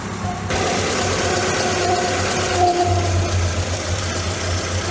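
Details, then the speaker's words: MK2 Volkswagen Scirocco that failed its MOT on emissions and runs on 3 cylinders: uneven, juddery idle that sags as if about to stall. Vacuum leak, suspected cracked carburettor flange. "We definitely have an air leak. You see the way the engine stalls off then? Shush. I wonder if we're looking at possibly a cracked carburetor flange."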